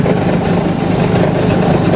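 Diesel runs with a steady low chug and even beat, no stumbling or knocking; engine starting and idling normally.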